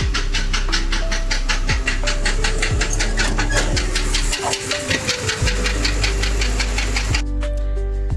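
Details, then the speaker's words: Jeep Cherokee XJ engine, driven about 30 km by the customer, blowing white smoke and not shutting off: rough running with sharp, regular knocks over a loud rumble; suspected broken piston, unconfirmed; internal engine knock. "സംഭവം sound എൻജിന്റെ ഉള്ളിൽ നിന്നാണ് എനിക്ക് തോന്നുന്നു വണ്ടിയുടെ ഒരു piston [സംഗീതം] പൊട്ടിയിട്ടുണ്ട്ന്ന് തോന്നുന്നു"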